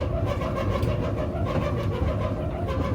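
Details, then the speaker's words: LG dryer model DLEX2501V running loudly: steady rumbling drone with dull throb as the drum turns on a bad drum roller; fixed by replacing drum rollers, belt and tension pulley. "LG dryer started making a lot of noise, so I replaced the drum rollers, belt, and tension pulley to get it back to a quiet operation."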